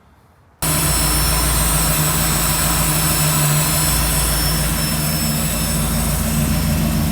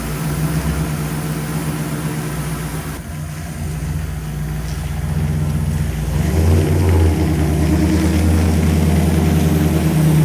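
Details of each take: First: Tunnel-ram V8 with whine/squeal, idle stuck high; lumpy idle with thin steady high-pitched hiss; vacuum leak at plenum-to-lower-manifold joint, taping it dropped rpm about 200; planned fix: reseal plenum gaskets. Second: V8 pulling away on its maiden voyage around the yard after the idle was brought down: even idle building smoothly, no stumble or hiss; transmission shifted well, motor sounds good.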